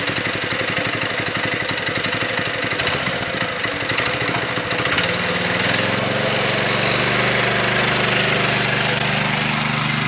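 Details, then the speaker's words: DIY trike with a scrap power-washer single-cylinder engine and a torque converter replacing the centrifugal clutch: engine lopes then rises smoothly into an even drone pulling away; now takes off on its own, no clutch jerk. "it is way better with the torque converter than with the centrifugal clut it'll actually take off on its own"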